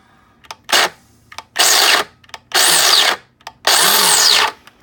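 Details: Mr. Coffee grinder about six months old, grinding an extra-large batch; hopper removed and checked for stuck beans, setting moved all the way left. Motor whirs in roughly one-second bursts and cuts out four times in five seconds, stalling mid-grind; cause unclear.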